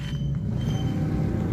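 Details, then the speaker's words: Manual car after full transmission set replacement, previously whining and jumping out of 3rd gear: steady low engine rumble without gear whine or grinding; test drive up to 4th with no noise or jumping, and smoother shifting. "saya sempet test drive sampai ke gigi 4 itu gak ada bunyi dan juga gak ada loncat"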